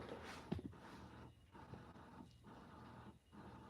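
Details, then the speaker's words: Tesla Model S door handle not presenting, microphone held close: a faint motor whir starts and stops about once a second, with the motor cycling back and forth because the paddle gear that pushes the handle out is missing. "and if you can hear that noise that's that paddle gear cycling back or the motor cycling back and forth there's no paddle gear there and so you just hear the the paddle gear trying to push the door handle out"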